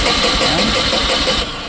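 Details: Tata Ace Gold BS6 petrol pickup, after fittings, pipe connections and tank were refitted: starter churns just over a second and drops away without firing, crank no-start; scan later shows the engine starting and dying with a cylinder 2 DTC.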